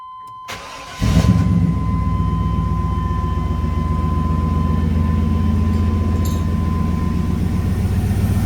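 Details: 1988-2000 Chevy/GMC truck, 5.7 Vortec V8, start after external fuel filter replacement and priming fuel pressure with key cycles: brief crank, catches quickly, steady even idle with no misses or knocks; healthy start, no leaks.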